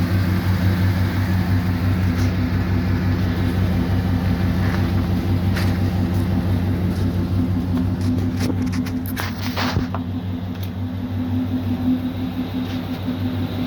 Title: 2011 GMC SIERRA ENGINE REDUCED POWER AND MISFIRE